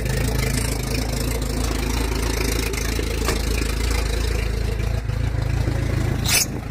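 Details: 1981 TE72 Corolla with swapped Nissan KA24DE, high-compression SOHC pistons and open downpipe, at idle: deep, steady knock about three per second through a loud rough idle; owner suspects rod knock after distrusted machine work, unconfirmed.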